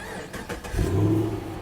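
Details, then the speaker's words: Chevy SS 6.2-litre V8, stock-looking with stock airbox, low on fuel: brief crank, then it catches and flares into a deep, even rumble before settling. Clean, healthy cold start with a decent, not excessive exhaust. "the exhaust sounds decent it's not too much"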